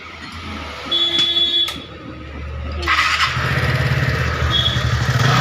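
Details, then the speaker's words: TVS Ntorq scooter after repair of a khatang-khatang knocking noise, started without silencer: a couple of squeaks, then a quick, even putter with no knocking. Normal idle. "Start দিয়াৰ পিছত আৱাজ চাব, কি ধুনীয়া আৱাজ ওলাব। Challenger নোহোৱাকৈ start কৰি দেখাই আছোঁ। এতিয়া স্কুটি আমাৰ ক্লিয়াৰ হৈ গ'ল।"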